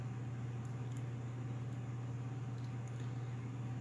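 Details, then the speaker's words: Corsair SP120 LED fans at full speed, front of a Corsair H60 (2018) radiator in push-pull with the stock H60 fan at rear, in a Silverstone Sugo SG13 case. Quiet, steady hum and even whoosh, no ticks or grinding: normal. "Now I'm gonna go ahead and turn on the SP120s at full speed, and you could hear the difference compared to the ones that come with the H60 water cooler."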